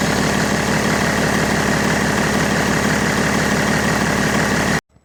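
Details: BMW E90 325d/330d M57 diesel after refitting the original accessory belt in place of a textured one: steady even idle clatter with no chirp or squeal; belt change fixed the cold squeal, though it may return.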